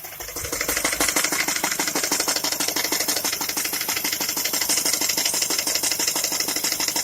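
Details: Skoda A5 (Octavia) 1.6 MPI at idle, owner asking what the problem is: a steady, sharp, even tick about three times a second over a quiet idle, possibly top-end. Engine ticking, cause unknown.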